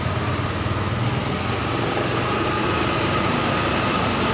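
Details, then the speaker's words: Yamaha Mio 125 fuel-injected scooter that died and was hard to start, battery new but dropping: after kickstarting, a light busy buzz settles into a steady run with no stalling or hunting; normal idle, battery-drain cause still being sought. "Bisa ya bisa hidup tuh jadi kalau udah seperti ini tinggal kita cari permasalahannya yang menyebabkan motor ini ee akinya itu ngdrop"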